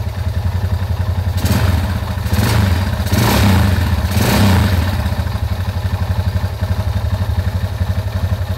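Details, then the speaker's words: 2004 Honda Tiger 270cc with a 70 mm stroke, complaint of a noisy engine: heavy, uneven low knocking at roughly four per second under a loud clattering that swells with revs, from worn crankshaft bearings. "Keh Suaranya sangat berisik"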